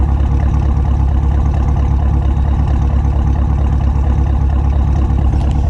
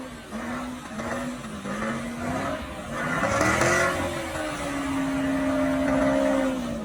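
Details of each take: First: Modified Chevrolet Camaro SS V8 "Bruce", warm idle while the owner diagnoses a slight torque drop. Deep, even burble with steady pulses, no skips or misfire; idles normally. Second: Modified Chevrolet Camaro SS "Bruce" with a slight torque drop. In manual mode, revving very high near redline for a burnout, a clear singing tone climbs sharply. Cause of the high note is unclear; owner is checking spark plugs and misfire.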